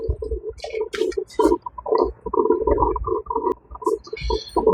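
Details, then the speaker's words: Drip coffee maker after disassembly, cleaning and blowing out its clogged slow-trickling hose with compressed air, full reservoir of filtered water: irregular bubbling gurgles and spurts with steady flow; percolating normally, better than before when it sounded constantly out of water. "it sounded like it was running out of water constantly"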